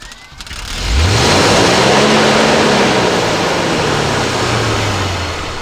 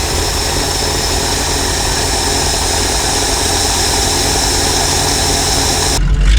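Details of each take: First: 1968 Ford F600 truck with rebuilt carburetor, first start of the year: engine catches, pitch swells then sags over a few seconds and dies; throttle cable was set wrong. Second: 1968 Ford F600 feed truck V8 started for first time this year after throttle cable set; steady loping idle, even beat, no knocks or misses, though its carburetor has a gas leak.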